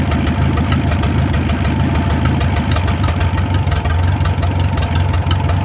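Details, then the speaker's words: 1937 Willys flathead four-cylinder, revived after 25+ years sitting in the woods: even, steady idle with only a faint light valve tick and no knocking. Sounds healthy. "That thing runs like a brand new one. There ain't no knocking, you can just barely hear the valves ticking just a little bit."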